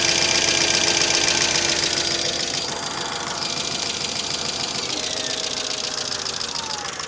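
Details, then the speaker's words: 2005 Mercedes ML350 (W163) in cold weather, running after oil refill with no leaks: quick light ticking, about three or four a second, over a steady idle; source not found, owner hopes a hard drive clears the click. "I'm hoping that click clears up we're going to take it for a little Italian tuneup and hopefully that'll do that"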